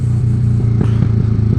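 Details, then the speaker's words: Yamaha R15 V3 on Speed 97 fuel after retune, with short Daytona aftermarket exhaust: deep drone with sharp crackles and pops on throttle roll-off; owner suspects lost back pressure from the new exhaust, possibly needing an ECU reflash; loud exhaust noise on roll-off. "This bike is making a lot of noise."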